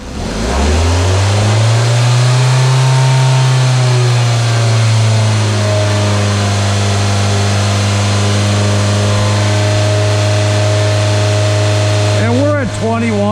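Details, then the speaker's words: Engine held at a steady 2000 rpm during a running vacuum test: an even, smooth drone with no misses or surging. Vacuum was about 21 inHg, steady, versus about 19 at idle, indicating a healthy engine. "pretty steady so there we go we saw we were 21 and very steady and then we at idle we returned back to right around our 19"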